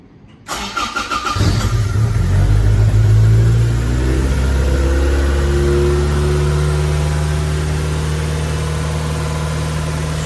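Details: Toyota MR2 Mk1 after radiator and fan repairs and new leads, rotor and distributor cap: short crank, then it catches at once into a fast, even cold idle, normal for the Mk1.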